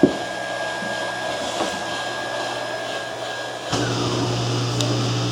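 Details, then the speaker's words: GE dishwasher, cycle cancelled by holding stop for 3 seconds: the circulation pump stops and the drain pump takes over with a steady low buzz, running normally with no water in the system. "and now you can hear the drain pump you can hear now it's running but of course there is no water in the [Music] system"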